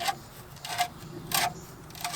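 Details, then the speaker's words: 2010 Nissan Altima front wheel turned slowly by hand during a strut and link replacement: intermittent raspy metal grinding bursts. It sounds horrible but is only the thin sheet-metal backing plate (dust shield) rubbing the rotor. "you can hear that grinding sound that sounds really horrible but really all that is is that's this metal backing plate right here which is referred to uh oftentimes as a dust shield"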